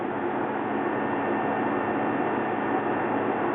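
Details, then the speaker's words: Toyota Prius electric-only AC compressor cycling on as needed with cabin set at 74 degrees: a steady, even whirring hum with a faint high tone and no knocks or rattles, normal intermittent short-cycle operation. "electronic the air-conditioner so it just kind of intermittently runs one cycle I don't think that it's damaged by running short cycles like many compressor systems"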